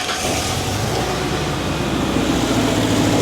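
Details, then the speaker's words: 1996 Mazda B2300 / Ford Ranger pickup, started after long parking: uneven lumpy idle with stumbling beat and ticking exhaust leak; dead-cylinder misfire, suspected cylinder 1 with low compression, not confirmed. "you guys hear that doesn't sound too great uh with the exception of that exhaust leak don't worry about that some fuel yeah see that yeah it's got a dead hole in it somewhere and we believe it to be number one"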